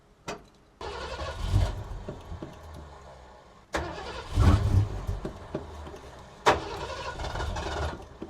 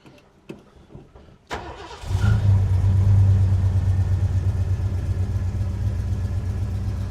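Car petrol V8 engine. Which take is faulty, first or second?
first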